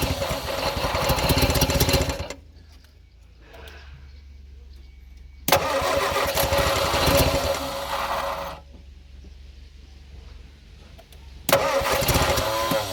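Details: Abandoned Morris Minor, no throttle control, running on fuel left in carbs before fuel line connected: repeated long bursts of fast cranking, about four turns a second, with a few uneven catches between pauses; fires intermittently but won't keep running.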